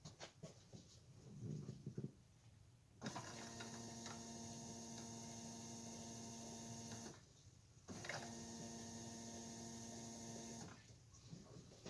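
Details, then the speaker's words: Chevy Nova electric fuel pump tested through its switch while checking regulator pressure: two spells of steady, even electric hum with faint whir, each about four seconds, switched on and off; pump running normally. "It seems to work. One step closer to firing it up."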